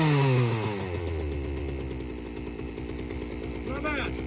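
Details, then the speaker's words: Free Poulan Wild Thing two-stroke chainsaw: revs fall away into a steady burble without stumbling or surging; it runs well. Clutch spring later found broken. "well it it definitely runs well now we at least know we're not wasting our time"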